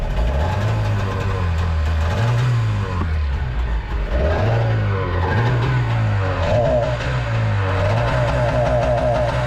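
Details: Jet boat two-stroke with freshly rebuilt carbs, on a water hose: strong drone rising and falling cleanly with the throttle, no misfire or stumble; running real good.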